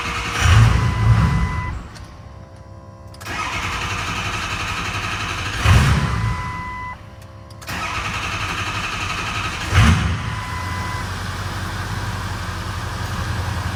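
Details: 6.0 Powerstroke diesel, first start after replacing the failed high-pressure oil pump: catches quickly and settles into a steady, even idle with a few brief rev blips, nothing abnormal.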